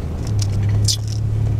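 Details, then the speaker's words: 2001 Toyota 4Runner braking to a stop at about 5–10 mph: steady low buzz under road rumble, pedal pulsates slightly, no codes or ABS light; owner suspects an ABS sensor, unconfirmed. "it only happens at very low speeds there it is so it just makes that noise some depending on how fast i'm you know trying to slow down"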